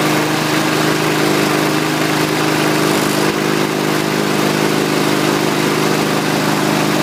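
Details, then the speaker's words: Troy-Bilt TB110 21-inch mower (550EX 140cc engine, 2013 or 2015) after repairs to get it running; steady, even engine beat that sounds good, but a shuddering vibration from the bent blade. "sounds good as far as the running it's it sounds good engine wise but it's got the vibration from that bent over bent over uh blade"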